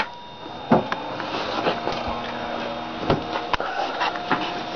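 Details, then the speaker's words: Budget Pentium 4 2 GHz Northwood PC, built 2003–2004, 300 W power supply blocking the processor fan, just powered on; steady whirring fan rush with faint fixed tones and a few drive clicks; very loud cooling fans. "very loud fans you can hear the pentium 4 and the grand scale very clearly"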